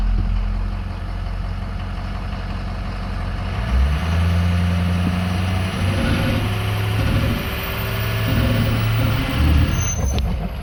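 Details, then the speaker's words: 2007 Ford F250 4WD 6.0 diesel, 147k miles, revving: deep rumble with clean rising turbo whistle, no flutter or surge; turbo spools up perfectly, lots of power. Possible cylinder 7 glow plug code noted. "so turbo spools up perfectly. It's got a lot of power."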